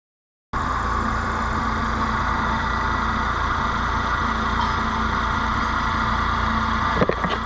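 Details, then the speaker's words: 2014 Nissan Note E12, P0172, rough idle and power loss, after replacing injectors (one was faulty): steady idle with uneven loping pulse, vibrating a bit much. "fine it's vibrating a little too much but see if it um settle the cell phone"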